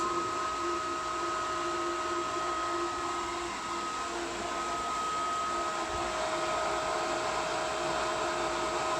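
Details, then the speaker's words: Variable-speed pool pump priming, likely at its highest rpm before slowing down once it finds water. Steady high-speed whir with constant whine, no knocking or surging; normal priming. "i think when it starts to prime it goes to its highest rpm okay and then once it finds water it turns itself"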